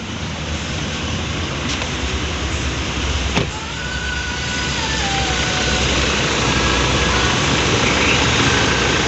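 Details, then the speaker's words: Toyota Fortuner VRZ at idle with AC on and compressor engaged: the growling (ngorok), previously audible even in the cabin, is gone; smooth, even running, problem resolved. "hai oke sudah hilang ya Jadi untuk suara ngoroknya dah nggak ada lagi dan masalah sudah teratasi"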